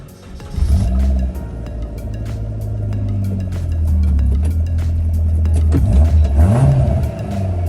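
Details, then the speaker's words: Suzuki Jimny abandoned off-roader, first start after new spark plugs and wiring repair: steady mid-pitched whine over the engine rumble as it revs; worn power steering pump. "It works, it moves, but the power steering is making a hell of a noise."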